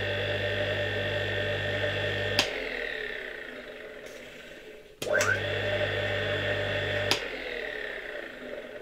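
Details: 1958 Croatia single-phase motor from Zagreb, converted to a grinder, reassembled with new lead and centrifugal switch wires reconnected: loud mains hum at start, click as start winding drops out, quieter even run; restarts the same, healthy.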